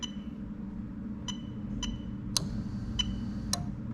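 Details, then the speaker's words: Lexus LS430 2000–2003 3UZ-FE VVT-i engine on a right-hand-drive test harness, fuel pump test: crisp separate relay clicks, about five in a few seconds, over a low hum, fuel pump relay switching normally. "okay so we're gonna go and test fuel pump now as soon as i press this little arrow you're gonna hear the relay click on"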